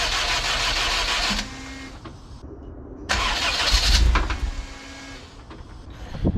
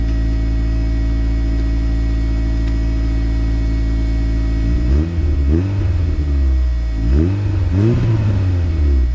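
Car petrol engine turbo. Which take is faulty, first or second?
first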